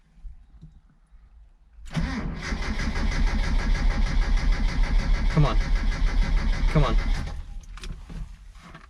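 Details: 1977 Mitsubishi Sigma Lancer, first start after front-end reassembly: starter cranks steadily about three turns a second for a few seconds but the engine never catches; hard start.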